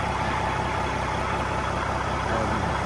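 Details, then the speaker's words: Cat 3406B diesel in a 1986 Ford LTL 9000 after an in-frame overhaul for coolant pushing and compression in the coolant. Rebuilt with an IPD kit (steel-top pistons, crevice-seal liners), new turbo and recored radiator. Steady, even idle with a smooth low rumble, no knocks or misses; running well. "Did great. Was running good. Pretty impressed with that new turbo, and sounds good and pretty cool."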